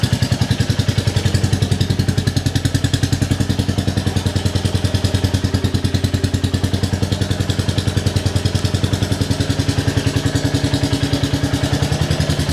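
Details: Rebuilt 2022 Royal Enfield Classic 350, first start indoors: steady single-cylinder thump at about 200 beats a minute with no knocks; engine healthy, but the silencer sounds loud and blatty and the owner may refit the original.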